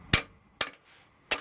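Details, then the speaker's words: 1979 Lincoln Continental Mark V, previously stuck valve now freed: three sharp light mallet taps, each ringing briefly and springing back cleanly; freed valve, normal spring rebound. "So that's really good news, you know. And you can kind of hear it bouncing, right?"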